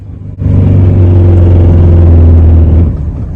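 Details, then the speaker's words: Truck under engine brake: a heavy low drone with a fast, tinny, can-like buzzing rattle from the upper left cab roof, near the air-filter plastic trim. The cause is loose cab trim vibrating. "então é um barulho que parece uma lata batendo parece um plástico vibrando alguma coisa assim e aqui em cima da cabine tá"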